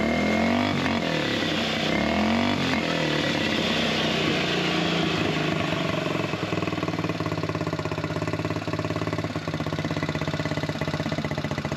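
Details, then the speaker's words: Buggy single-cylinder with a carburettor air-setting problem, after the water-soaked air filter was dried and refitted. An uneven thump stumbles while revving, the beat dropping away and recovering. Misfiring and cutting out; carb air adjustment is suspected, not confirmed. "Tu entends que le régime il va couper. Il doit remodifier un petit peu soit l'avance soit le retard de l'air."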